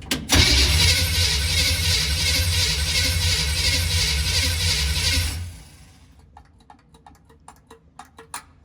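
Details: 1951 GMC 5-window cab-over, first start after restoring spark: steady, even starter cranking for about five seconds with no catch or firing, then stops. Cranks but won't start; suspected water rather than fuel in the cylinders.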